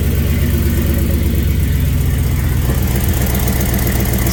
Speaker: still got that exhaust leak oh right there